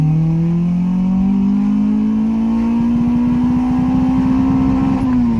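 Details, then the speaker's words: Honda H22-swapped EK Civic under full throttle when hot: revs climb then sputter and bounce off, refusing to pull further, like a misfire at high RPM; absent when cool; owner suspected fuel filter, running 100 octane; unconfirmed. "It was almost like it kept bouncing off the RPMs. Like it wouldn't go anymore."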